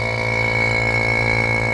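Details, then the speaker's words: Vacuum pump evacuating the rebuilt air conditioning on a 2nd-gen Toyota 4Runner, boiling moisture out: a constant low drone with a thin whistle and no hiss. A hiss was later heard somewhere. "So that's pulling water out of the system. I don't hear any hissing. You can see we're pulling a vacuum."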